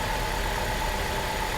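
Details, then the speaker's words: 2010 Chrysler Sebring Touring salvage car at idle: steady, even, smooth hum with no knocks, ticks or stumbles. A normal, good-running engine. "It really is a good running car. It is such a shame. Look at that. Purring like a kitten, man."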